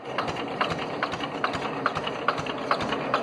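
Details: Abandoned homemade mini dumper, single-cylinder air-cooled Petter diesel, sat about 10 years; after freeing stuck injection pump and injector needle: sharp even clatter two to three times a second over light rattle, running steadily without misfiring.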